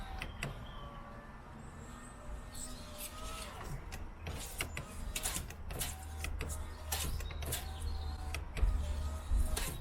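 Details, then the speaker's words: Peugeot 107 power window that jams closing with the glass twisting, after silicone spray in the channels: the motor hums through repeated up-down strokes with a scratchy, gritty drag and squeaks, blamed on road salt and grit from heavy motorway use. "You can hear it sounds really gritty. Again, it's all the salt and stuff."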